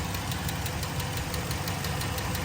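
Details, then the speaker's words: 2012 Dodge RAM 1500 just after replacing all fuel injectors: sharp, even ticking about six per second over a smooth idle on one side of the engine; owner suspects a possible exhaust leak, unconfirmed. "I'm honestly wondering if it's an exhaust leak somewhere over here,"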